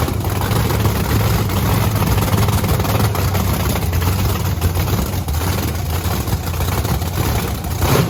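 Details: Blower V8 Camaro on methanol after cleaning gunked fuel nozzles: loud, deep, steady rumble with even rhythm, no misses or knocks; not drowning, running clean and healthy.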